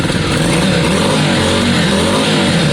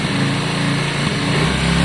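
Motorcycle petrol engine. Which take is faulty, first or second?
first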